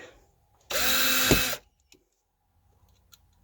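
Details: Cordless drill driving screws into wood for attic hatch brackets after swapping from the weak spare to the main battery: a short burst of strong, steady full-speed motor whine with no sagging, running normally.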